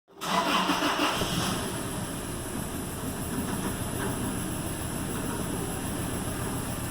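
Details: 2008 Toyota Tacoma petrol engine on a cold start: it fires up, flares, then settles into an uneven, stumbling idle from a misfire while a vacuum reading is taken.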